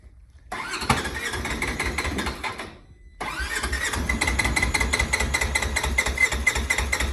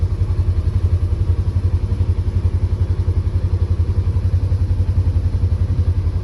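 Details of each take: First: Polaris Ranger 900 XP side-by-side, hard to start with loud motor noise, after reassembly (compression was 125 and 85–90 psi): two long bursts of even cranking without catching; still won't start without throttle but idles once throttle released; hard start, cause not evident. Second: Polaris Ranger 900 XP side-by-side, previously hard to start with a loud motor noise, after repair and reassembly, in gear: deep even thump about three beats a second, no rattle or chain slap; smooth idle, sounds way better.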